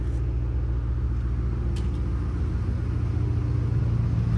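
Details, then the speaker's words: Mustang, previously making an engine ticking noise, on a quiet cold start: a deep, smooth, even idle with no ticking or tapping. The owner thinks it is fixed but is waiting to be sure. Normal idle. "Oh, that was a very quiet cold start. I don't want to speak too soon, but it's very quiet up here."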